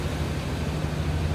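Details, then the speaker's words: 1994 Chevrolet Silverado 1500 extended cab 4x4 with the 5.7 V8 and a new battery: low, steady rumble at idle with no knocks, ticks or squeals; running smooth, normal idle. "And it's running smooth, sounds good."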